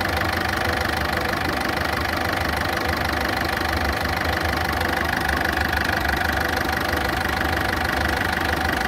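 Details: Ford Fiesta at idle: steady fast ticking of roughly three per second over a loud, coarse idle. The valvetrain or bottom end needs checking; the cause is not yet known.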